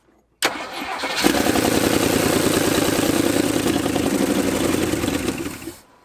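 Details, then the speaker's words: 1978 Jeep J20 with a 360, sitting 15 years, cranking on its original fuel system; steady starter cranking about three turns a second that never catches; the mechanical fuel pump isn't pumping fuel to the carb, to be replaced. "fuel pump no good it's just not pumping anything so we going to slap the new one on here"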